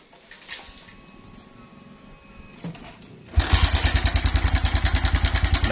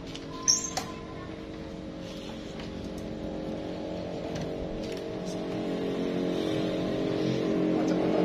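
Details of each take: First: Suzuki Verza at idle, before repair: the engine fires and runs with a coarse, clattery rattle on every beat from the cam chain and tensioner; stretched cam chain with a worn tensioner. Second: Verza single-cylinder bike that had a very rough cam chain tensioner noise, tested after reinstalling the tensioner. Smooth, even idle and revving with no chain rattle or ticking, confirming the cam chain and tensioner were the problem.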